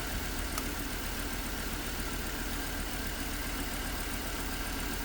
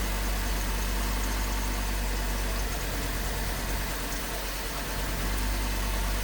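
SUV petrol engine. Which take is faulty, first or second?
first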